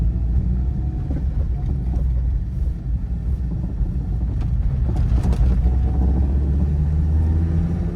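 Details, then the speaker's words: 1997 Toyota RAV4 driving with a cheap single-cat direct-fit catalytic converter pipe that doesn't fit: heavy exhaust drone over a low engine rumble with loose metallic rattling as the pipe rubs and knocks against the car. "The noise from this exhaust is unbearable. It makes me not even want to drive this car."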